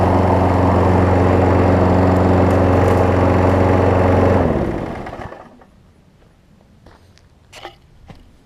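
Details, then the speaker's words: Craftsman 6 hp self-propelled mower after a new spark plug, belt refitted, testing self-propel: a steady, even buzz for about four seconds, then a smooth wind-down as it shuts off; it runs fine. "I'll work on that as well but I think this self propels guy works let's go and see"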